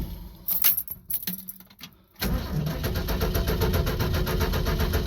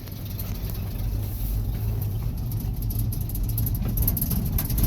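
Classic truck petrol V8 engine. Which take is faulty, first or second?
first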